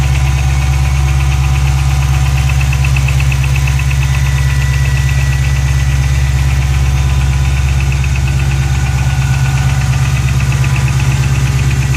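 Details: GT500 V8 at cold start idle: a deep, steady rumble with a light, regular ticking riding on top.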